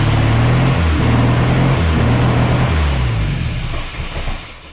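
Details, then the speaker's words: Mercruiser 140 boat engine swapped into an S10, charging at 14 volts: warm engine idles unevenly, low drone climbing and sagging on its own without throttle; warm idle surge, cause not yet found (some fuel pools in intake). "Why is it running like shit though? Like it seems to be when it warms up, it just takes off."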